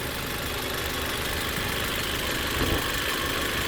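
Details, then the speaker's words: 2005 Hyundai Elantra, 173,000 miles, at a dealer auction: even, steady idle with no knocks or ticks, sounds good, though it smokes under heavy acceleration and is burning some oil. "she still sounds good sounds real good but she's burning some oil i'm afraid"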